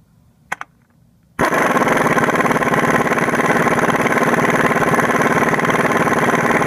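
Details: 1996–2001 Toyota Camry 4-cylinder after replacing a noisy, shaky harmonic balancer: a few clicks, then the engine catches and settles into a steady, even idle with no knock, wobble or chirp. Normal idle.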